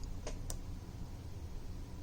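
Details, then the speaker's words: DeWalt portable Level 1/2 EV charger (16 A, 120/240 V, J1772) with a simulated vehicle connected via resistor circuit; two quick sharp clicks a quarter second apart over a low steady hum as charging is enabled: normal relay click on charge start. "the ready will go on and once I enable this the charging starts so that is how it works"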